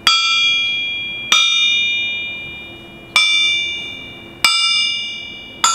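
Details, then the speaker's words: Cast crankshaft resting on concrete, counterweight tapped with a small hammer: each tap gives a sharp, clear, long, slowly decaying ring, showing the crank is sound and has plenty of life left. "you see we got a sharp clear ring out of that which means that this still has plenty of life left and that's actually that sounds really good for a cast prank"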